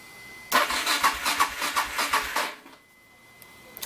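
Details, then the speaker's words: Suzuki DR650 cranking on a freshly conditioned 12 V Odyssey battery after oil change and air filter service, not started: brisk, even cranking about three and a half beats per second for two seconds, no dragging or clicking; healthy starter. "It's a pretty healthy crank there."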